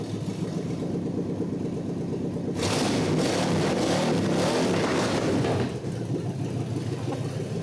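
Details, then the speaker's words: 1948 Packard lead sled straight engine, not yet at operating temperature, after coil lead fix: even idle, a few seconds of blipped revs, back to steady idle; running normally. "We know one thing, the water pump's working real good. Wow. Wow. I'd say it runs."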